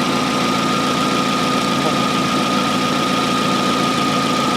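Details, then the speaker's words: 2004 Hyundai Elantra idling after alternator reinstallation, headlights bright, blower and rear defroster on: steady idle with a thin, even whine that holds pitch. The alternator is audibly working and charging about 13.8 V under load (14.25 V with no load), which is normal. "i can really hear that alternator winding down too so i can tell it's generating the other"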